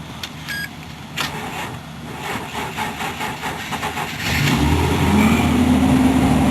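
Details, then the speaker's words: 2005 Nissan Pathfinder, 50,000 miles, extreme December cold start; several seconds of slow rhythmic cranking before catching and revving up, toward redline; hard cold start, owner suspects battery may be going. "Extreme cold start in this one. This battery could have gone. Well, we got it running for now."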